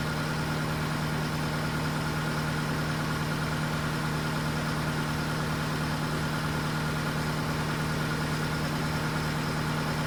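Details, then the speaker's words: Case TR310B skid steer diesel at its 100-hour service, started after oil filter change (superseded part) to check for leaks; smooth, even steady low drone at idle, no knocks, misses or rattles: normal idle. "So I'm going to start it up just to make sure that everything is good."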